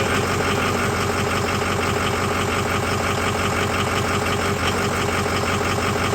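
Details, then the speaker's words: 2005 Ford F350 6.0 diesel, just restarted after oil cooler replacement: steady, even, regular idle clatter with no odd knocks or misses. Oil pressure up; healthy idle. "see the oil pressure came up right when it cut off let stay running this time well there it is"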